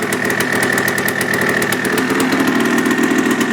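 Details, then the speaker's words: 1980 Yamaha IT175 two-stroke after rebore and new oversize piston curing idle rattle and piston slap: crisp, even popping at steady idle, smoky, no rattle, more compression and better throttle response; normal idle. "noticeably more compression the throttle response is a lot better than it used to be even kick-starting you can tell it as i was kicking it runs great it wasn't like that before"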